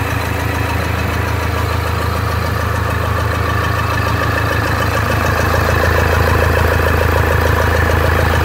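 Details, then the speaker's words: Toyota Hilux 2015 diesel after decarbonization and injector service, fuel circuit refilled, first start with engine partly assembled: steady even idle, regular clatter and deep rumble, loud only because the engine acoustic cover is off; no leaks. "barulho pessoal estranha sem vai ficar tranquilo é porque tá sem percule não tem aquele aquela proteção acústica aqui"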